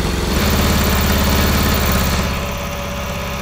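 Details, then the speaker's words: 1982 Honda CB750 DOHC engine in a cross kart, after head service, coil change and carburetor rebuild: engine settles into a steady, even low idle with regular firing and no misses. "we have idle oh pull to the string okay hey that's a win right"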